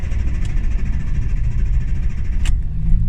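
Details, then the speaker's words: Hyundai Getz petrol engine, warm, with hard starting and a high, fluctuating idle: rough uneven idle with stumbles and RPM drops, misfiring; faulty coolant temperature sensor found as cause. "ayan na pumapalya palala ayan ayan yan Yan oh bumabagsak yung menor"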